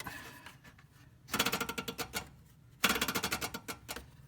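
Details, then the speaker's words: 2004 Toyota Sienna with a loud growl when the AC switch is pressed; electric fan spun by hand: bursts of rapid clicking as the blades strike the fallen heat shield. The fan sits near the AC compressor, and failing bearings were first suspected. "it gets a lot louder and it's and the electric fan is so close to the to the uh compressor uh for the air conditioner that it kind of sounded like the bearings or something could possibly be going out."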